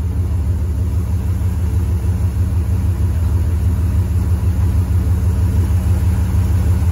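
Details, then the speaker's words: 1973 Ford F-250 4x4 crew cab after carburetor removed, cleaned with carb cleaner and refitted: deep rumbling idle with uneven lope about three pulses a second, seeming to load up rich; owner earlier suspected running on seven cylinders. "sounds like it might be loading up a bit here now i cannot complain at that friends"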